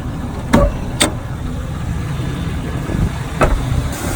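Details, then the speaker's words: Chevrolet Silverado, stated as 2005 and as 2003, possibly a 2500, about 203,000 miles, long sitting, hood open: quiet, smooth low hum; a slight knock at first soon went away, believed from sitting; normal idle. "Alright guys, so nice and quiet engine. There's a little bit of kind of a knock sound at first, but that went away pretty quick, so probably just been sitting for a long time."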